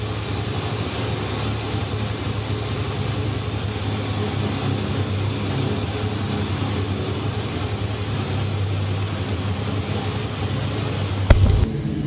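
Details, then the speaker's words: Dodge Viper V10 first start after preparation and an added oil cooler: deep, steady idle, even and smooth with no knocks or misses; good oil pressure, water temperature still warming up; sounds healthy. "Oh, it does bark. Woof, woof, woof."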